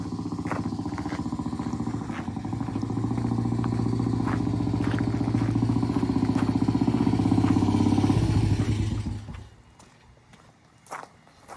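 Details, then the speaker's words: Vintage British 200cc single-cylinder four-stroke race bike (T20M), run after earlier cold starts: a crisp, regular single-cylinder thump, steady for eight seconds, then cut off. It runs fine and sounds good. ">> Yeah, she runs fine. >> It sounds good. >> Yeah, it does for this little thing."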